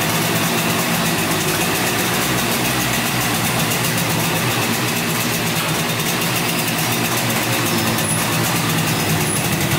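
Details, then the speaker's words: 1971 Yamaha CS200 twin-cylinder two-stroke, sat over 17 years, start after a fix found by pushing down a black part while cranking, on choke: even, crisp buzz held steady with no misses; a little smoky but runs pretty good. "A little smoky, but yeah, it runs pretty good. Woohoo! Smoky girl."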